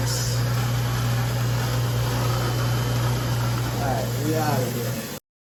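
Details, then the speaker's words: Newly installed replacement garbage disposal under a kitchen sink, switched on: steady even low hum with no grinding, rattling or catching; running normally. "hit the switch hit it I mean she's working right"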